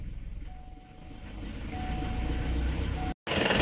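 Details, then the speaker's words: Chevy Duramax diesel after fuel rail pressure sensor replacement, running only while the fuel filter primer is pumped: low, uneven rumble dropping to bare minimum RPM; air in the fuel, or a suction or vacuum leak is suspected. "so either we've got a lot of air or there's like a a suction leak or a vacuum leak somewhere because then this thing is goes down to like bare minimum RPM you can hear it drop to where it's just barely staying aoat"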